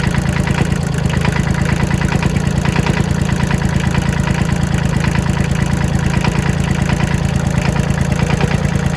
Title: Fixing knocking sound